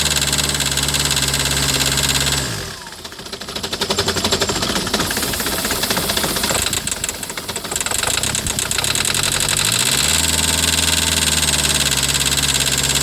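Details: 2008 Citroën Nemo diesel van with glow plug light on: steady idle breaks into a ragged, shaking clatter for several seconds, then settles; rough after starting, blamed on excess fluid in the combustion chamber until it dries.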